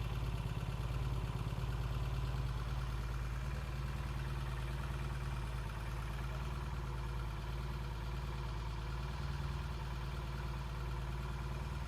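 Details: 1968 Triumph T100C twin idling while warming up after a cold start: steady, even low-pitched beat, no knocks or misses; healthy, good oil flow and breather vent, no oil leaks, charging okay.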